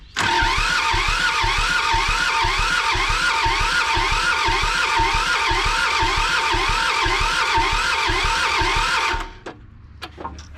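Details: John Deere 650 subcompact tractor, two-cylinder Yanmar diesel, sat about 15 years, cranking with injector lines cracked: steady starter whir with even slow chuffing about three a second for nine seconds; cranks but won't fire, front injection line getting no fuel.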